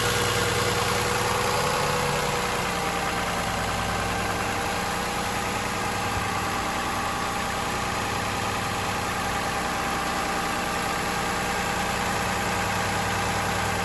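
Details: 2007 Toyota Highlander 3MZ-FE V6 petrol at steady idle: light, regular rattling knock ticking over the hum; owner wonders about an exhaust leak, cause not confirmed.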